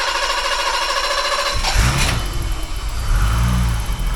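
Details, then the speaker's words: 1985 BMW 635CSi after replacing the faulty part behind its not-running problem: engine cranks, catches quickly and settles into a smooth, steady low idle, oil pressure light off; normal start and idle. "running. Oil pressure light's off, so I didn't even see it come on."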